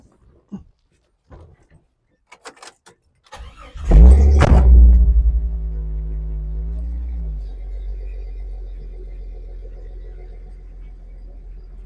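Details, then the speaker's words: After installing a new universal 2.25-inch catalytic converter and new muffler: engine cranks briefly, catches with a loud flare, settles to a smooth deep idle; more mellow, less raspy tone; any start-up burn-off is the new cat; healthy. "it's definitely more mellow tone I actually like it it's not quite so raspy and it still sounds good when you punch it so that's the important part"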